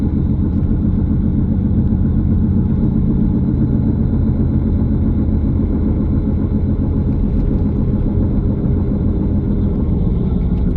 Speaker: so what I'm going to do at the very start of this video is just share with you some of the wheel bearing noises that I've captured so you can have a good indication of the type of noise before we jump into the testing methods